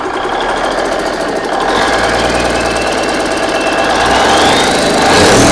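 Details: Big Cam Cummins NTC 365 diesel, first start: clatter settles into an even, steady run as it picks up, no misses or heavy knocks, doesn't smoke, appears oiling on all cylinders; runs good.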